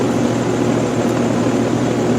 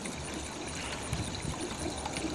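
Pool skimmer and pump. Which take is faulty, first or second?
second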